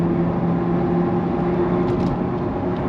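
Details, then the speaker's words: Van/car driving on road: steady low droning hum over road noise from a failed front right wheel bearing, which went bad within a week after suspension damage. "Can you hear that? That's wheel bearing, baby. The front right wheel bearing."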